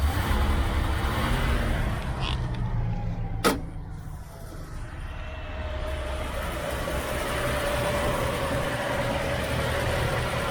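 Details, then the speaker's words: 1972 Chevy Nova V8 with temporary battery and gas tank, just started and driven off the trailer; low steady rumble with an even beat and no knocks or misses, smoothing out after a brief noise: runs great, normal running. "as you can tell she runs great"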